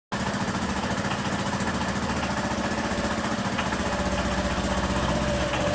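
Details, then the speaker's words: Honda PCX scooter at idle after a tyre change: sharp rapid puffing tick about four beats a second on the engine pulse, an exhaust leak because the exhaust sealing gasket ring was left out. "O cara esqueceu de colocar a junta de vedação, o anel ali na parte do escapamento. E ela tá fazendo um barulho horrível."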